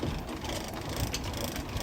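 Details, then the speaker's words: Victrola phonograph after a broken gear and pinion from overcranking were repaired: ratchety clicking as the crank winds the spring, then an even whirr as the turntable spins normally. "You can hear it winding up the spring. And there it is spinning."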